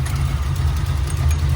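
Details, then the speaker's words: Fox Body V8 just reassembled and first started, timing set about 12–14 degrees, idle raised to let the cam lope: deep, lumpy, steady idle with no misses or rattles; normal idle (a loose fan then hit the shroud afterward). "Man, she's idling good. Idle it up a little bit. Yeah. Yeah. Let that cam talk a little."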